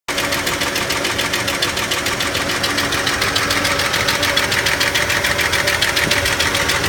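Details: 1991 Ford F-150: sharp, even tick about three and a half times a second over a steady idle. Owner suspects the valves; the cause is not confirmed.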